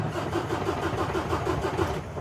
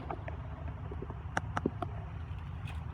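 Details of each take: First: 2017 Kenworth T680 with MX-13 diesel, no MIL, ECM not powered, suspected bad connection: steady rhythmic starter cranking at about six pulses a second with no firing; cranks but never starts. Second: Truck with MX-13 engine, no-start with no MIL, ECM power relay reinserted with key on: sharp scattered clicks over a low steady hum, the relay energizing normally.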